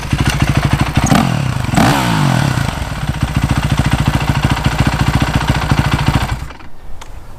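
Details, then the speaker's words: Yamaha YZ450 single-cylinder, freshly rebuilt, after replacing a stretched timing chain that caused ticking; quick revs with a crisp even beat, no top-end ticking, much quieter; normal running. "the engine sounds much quieter now I think it's this is a normal Y Z 450 sound that old timing chain was garbage"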